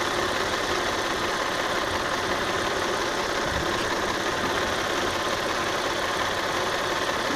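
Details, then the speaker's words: 2001 Audi A4 Quattro 2.8 L 30-valve V6 at idle: rough, lumpy stumbling beat with no steady rhythm, misfires on cylinders 1–3 of bank 1; oil in plug wells, suspected leaking valve cover. "But you can see that the engine is not running right. It's rough. And see, there's a bunch of misfires."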